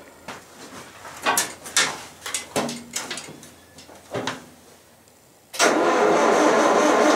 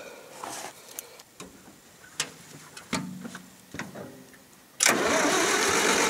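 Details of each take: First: 1974 International IH 354 tractor after a no-spark fault, near-zero winter temperatures: after the condenser was replaced and the rotor and cap refitted, several slow cranking bursts, then it catches and settles into a steady, even idle with no misses. Ignition now fires properly. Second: 1974 International IH 354 tractor in winter, around 0°C after -30° nights: a few clicks, then starter spins steadily but never catches; no spark, ignition fault, later traced to a frayed, likely shorting points-to-coil wire while checking cap, rotor, points, coil and condenser.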